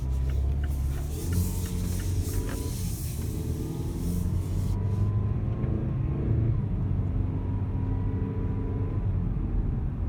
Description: More whining noise from my 2017 Cx-5. Dealership says it’s normal. Maybe for a golf cart.